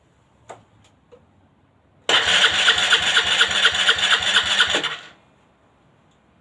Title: Long time no start; Aprilia Leonardo 125